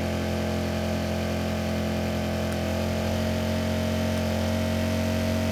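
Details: Repaired Kipor KGE 1000Ti inverter generator, warmed up, loaded toward its 900 W maximum including a sudden load (THD 0.6% rising to 2.3%): steady, even hum holds constant with no surging as the load comes on. Healthy running under load.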